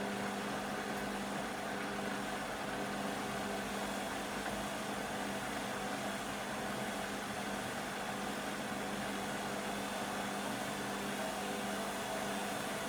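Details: Beko WM5100W 5kg washing machine, found on the street and plumbed in, rinse/spin test with rags: a loud steady roar with a faint hum through the fast spin; noisy, possibly the motor, but the cause is uncertain.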